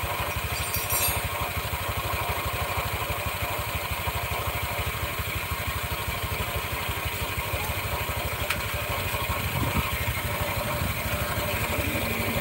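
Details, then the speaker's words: Red Honda Vario scooter, idling with rear wheel held: rough, uneven scraping rattle from the CVT that disappears when the wheel is allowed to turn; CVT grinding, cause not yet found. "Oke kalau rodanya ditahan suaranya krosok rongsok rongsok rongsok rongsok tapi kalau rodanya ikut muter suaranya hilang"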